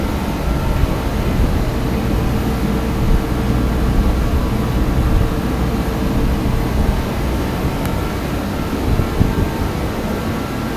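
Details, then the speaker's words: DeWalt torpedo heater, previously not lighting and spitting fuel, after fuel pressure adjustment: steady deep roar of burner and fan, even with no sputtering or surging; running normally after repair. "well they adjusted the pressure of this a little bit more everything seems to be running okay now"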